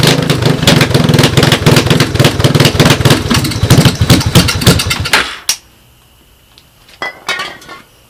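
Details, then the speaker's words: Honda 250ES Big Red ATC parts bike, first start on starting fluid with a used portable CDI, cracked head where the exhaust bolts on, no exhaust fitted: a harsh, very loud, rapid single-cylinder crackle for five seconds, smoking, then cutting out. "obviously I would try to put some kind of exhaust on there to quiet it down a little bit"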